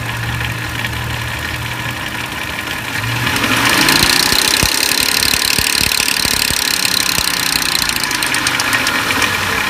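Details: 2004 Lincoln Navigator at idle: light, fast metallic rattle and ticking about four per second over the idle; timing chain noise.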